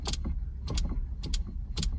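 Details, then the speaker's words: Classic Ferrari 308 with a spare horn relay fitted and the horn button not wired: turning the steering wheel makes the relay click in pairs about every half second, pointing to wiring to a contact point behind the steering wheel. "if you listen to this, when I move the steering wheel, can you hear that? Listen to the relay. So I've obviously got wiring to a contact point in here."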